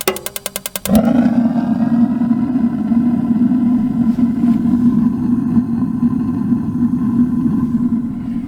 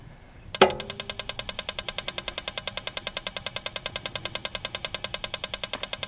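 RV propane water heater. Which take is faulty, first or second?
second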